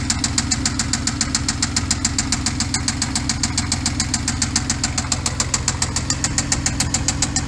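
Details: 2014 Hyundai Genesis Coupe 3.8L V6 GDI DOHC, automatic, 84,821 miles, parts car: sharp, even ticking knock at about 214 a minute over a steady idle; hard internal bottom-end knock, engine done.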